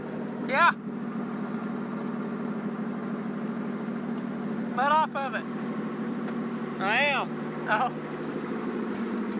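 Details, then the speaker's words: 1949 Chrysler, sat 60 years, after starter solenoid repair: steady low drone at a fast, even idle with chirps on top; idle too high, carburetor needs rebuilding. "yeah it's running it's got too high of a idle and it's and we're gonna have to rebuild that carburetor"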